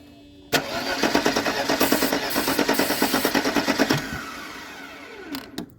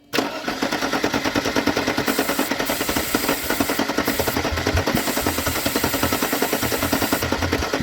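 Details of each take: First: Mercedes-Benz W201 190E, sat in a field since 2008: steady cranking at about three turns a second for about three seconds with no firing; spark confirmed, later started with starting fluid and throttle. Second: Mercedes-Benz 190e parked since 2008, first start with starting fluid: settles into a steady, even chuffing idle at about three beats a second with oil pressure and no ticking or knocking; runs healthy.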